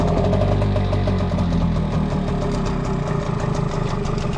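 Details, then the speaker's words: Hangkai 6HP two-stroke outboard, cold start: one crank once set to the starting position, then a loud, busy low putter settling into a steady idle, slightly uneven as it warms, before a planned 7-minute warm-up; normal cold-start idle. "was really one crank because the first crank I didn't have it on the starting position. So it was one crank. As soon as I put the thing on the starting position, one crank."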